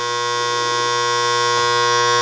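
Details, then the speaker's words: Lock relay with a new coil fitted (old coil's plastic broken). The energized relay gives a loud, steady electrical buzz at constant pitch with no let-up; the armature is not seating firmly against the coil. "what happens is this Armature as this part this actually moves right now it's on so this coil is become an electromagnet sucking this Armature in up against it"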